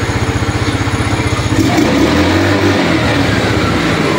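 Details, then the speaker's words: Rusi Rapid single-cylinder motorcycle that kept dying at idle, after the carburetor was fixed: even putter at about four pulses a second, a quick throttle blip, then a steady idle that no longer dies. "aggressive pa yung RPM ngayon hindi na siya namamatay gagaya na kanina"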